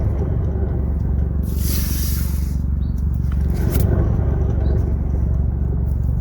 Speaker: So it's like a grinding sound. And comparing against the other side, you can tell we don't even hear that bearing noise at all.